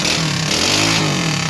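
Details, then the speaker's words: Roughly 20 hp big-piston single-cylinder go-kart engine with torque converter and chain, anchored to the ground: loud, steady thumping run with audible cam chatter, louder than a Harley; sounds healthy, possibly lean, throttle may need adjusting. "It sounds so thumpy. Like that cam it's making itself obvious. That's louder than a Harley."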